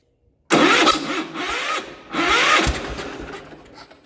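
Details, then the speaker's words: 1967 Gravely 430 tractor with an empty gas tank, run on ether: two short bursts of crackling, popping firing a couple of seconds apart, each fading out. It catches on starting fluid but won't keep running. "Oh yeah, she's going to be a runner. She wants to go already. You see that? She's snapping, crackling, and popping. Must have run out of ether."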